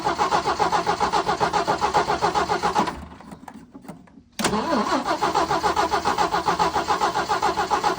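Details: 1979 Jeep CJ5 sitting since 2019, freshly charged battery: steady starter chug around 220 beats a minute, short pause, more cranking that never fires; cranking, no start.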